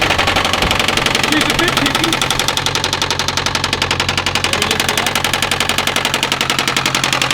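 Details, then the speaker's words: A sharp, even knock, about three to four per second, rides on top of the running engine. It is identified as a bad rod bearing. "there's your problem you had a bad uh bearing yeah that's a bad it's a bad rod bearing"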